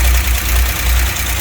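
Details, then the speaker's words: 1963 GMC K1000 4x4 engine idling with points ignition, timing way late: low rough stumbling idle, intermittent spark on cylinder number one seen with timing light; distributor cap in poor shape, to be replaced. "i busted out the old timing light it's pretty apparent that i got intermittent spark on number one it kind of sparks when it wants to hear the motor pick up when the light starts working"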